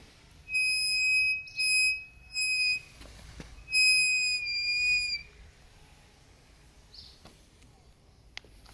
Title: Kukirin g3 Pro front brake noise